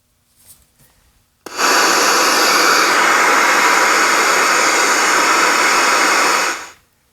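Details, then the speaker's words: 10 V zener diode with no tantalum decoupling capacitor across it: a loud, steady hiss switches on abruptly and holds at full level. This is zener noise, silenced once a 68 µF capacitor is added. "Isn't that crazy? That's that Zener doing it. And it's well above the reverse of this Zener diode. You can't even get the volume up, halfway without it just being incredibly loud, right?"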